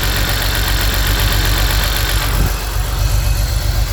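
Rough, uneven cold idle with irregular low stumbles and a lumpy beat that never settles; sounds like a misfire on cold start. Cause suspected, not confirmed.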